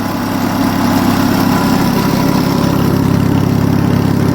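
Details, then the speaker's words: Onan US military generator petrol engine, nearly up to temperature, idles steadily at its governed 1800 rpm after governor adjustment; earlier it probably ran slow and hunted, now smooth, no surging. "This is meant to run at 1800 RPM, by the way. That sounds like about 1800 to me. I think before it was probably running a little bit slow and trying to catch up. But yeah, don't that run really, really nice."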